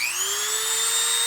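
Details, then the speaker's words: Original Mexican-made Dremel rotary tool, found after years behind a truck seat, running at high speed after overhaul: smooth, steady high-pitched whine at one even pitch, no wobble or rattle; audibly faster than the variable-speed (5,000–30,000 RPM) Sears Craftsman; normal running. "which is just that. You can hear that this one's faster."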